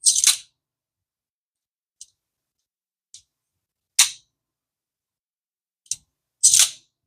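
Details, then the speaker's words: D.A.M Quick 2000 vintage spinning reel being reassembled after repair: sharp dry undamped clicks at each bail trip, uneven and a few seconds apart, because the rubber damper piece is missing and cannot be replaced. "Why is it making that sound? Because it doesn't have that piece of rubber on it. There's nothing I can do about that, you know."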